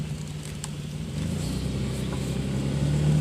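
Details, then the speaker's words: Worn front wheel bearing, likely front left, on a Chrysler Concorde during a test drive: a deep droning growl under road noise rising in pitch and loudness with speed; the whole wheel moves, lower ball joint checked and fine. "I could not remember which wheel bearing it is, so I'm taking it out for a test drive. To me it sounds like front left. Sounds pretty bad."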